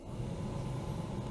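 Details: 2004 Toyota Tacoma cabin blower fan after a mouse nest was cleaned out of the assembly: smooth, even low hum with no rattle or scraping; the blower runs normally.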